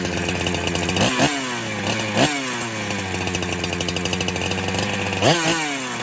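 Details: 372 clone chainsaw that kept leaning out after fuel was added, warm air leak test with spray: a high buzzing two-stroke that surges and bogs whenever a spot is sprayed and nearly stalls at the clutch side, so air is leaking there.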